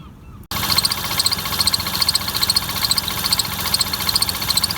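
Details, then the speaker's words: Lexus IS250 replacement engine at first start, recorded in the engine bay: a fast, fairly regular high ticking chirp, a little over two per second, over a steady idle, caused by a bent crankshaft pulley. "so as seen, we have an issue with that crank pulley, and it's actually the crank pulley that's bent."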